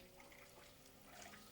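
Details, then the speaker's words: New Barrow SPB17-S V2 pump in a PC water-cooling loop, speed turned up: steady hum with trickling, gurgling water as air moves through the loop; air bubbles in water-cooling loop. "Especially as all the air's now moving. Yeah, that's what it used to sound like on the other pump."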